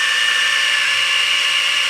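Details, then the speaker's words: 1971 Chrysler New Yorker 440, parked 20+ years, distributor pulled, oil pump driven by drill through the distributor hole; high steady drill whine, no stumbling or surging, as pressure builds and hits; normal oil pump priming. "It'll be spinning fast, and then it'll go and it'll have some load on it. That's oil pressure. I think it hit already. It did."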